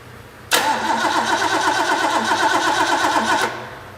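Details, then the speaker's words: Rebuilt Ford V8 from a 1972 De Tomaso Pantera barn find, after correcting ignition timing that was 180 degrees out: cranks, catches cleanly and runs with an even steady beat; headers leaking at cheap header gaskets. "all right well we got the engine running got it warmed up real good"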